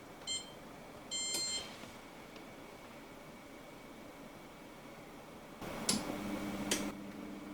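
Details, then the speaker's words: Hotpoint SI4 854 C IX oven set to 180° on twin setting: control-panel beeps, then two sharp relay clicks and a low fan hum as the oven starts normally, drawing about 2,850 W. "we should hear at least a couple of relays clicking in when we turn this on setting it onto the actual twin settings 18 180° now listen closely for the relays"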